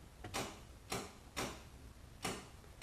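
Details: 2014 GMC Sierra headlight with new Retro-Quik NHK G5-X projectors, after install, high beams tested: crisp single shutter clicks, five in three seconds at uneven spacing, with each high-beam switch; shutter working normally.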